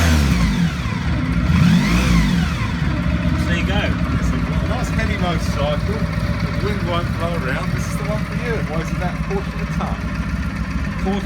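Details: 1995 Honda Pan European ST1100 motorcycle with new timing belt; starts promptly, blips up and settles into smooth even low rumble with no knocks or ticks: normal start and running.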